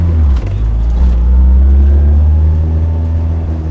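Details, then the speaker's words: Turbo Nissan S14 on a test drive, with a suspected boost leak; deep, loud engine drone holding steady under load with no stumble, surge or hesitation, much quicker and more responsive throttle; engine pulling cleanly. "This is a lot quicker. A lot fucking more responsive too."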